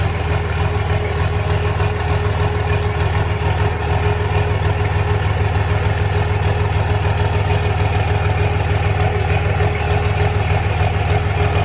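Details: 2006 Cummins diesel at idle with trouble codes for fan clutch and wastegate solenoid: deep idle with pulsing, uneven beat around three per second and a slight lope; rough idle, cause not pinned down.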